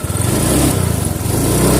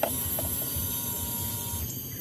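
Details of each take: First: Honda Vario 125 FI scooter after a slight rotating adjustment and setting idle: revs up cleanly and settles back, no stumble or hesitation; throttle response normal. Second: Honda Vario 125 FI scooter at idle, cold, after refitting TPS: low uneven idle, then throttle brings choppy stumbling bog (tekor) that never picks up cleanly; hesitation from misadjusted throttle position sensor, fixed by rotating it slightly.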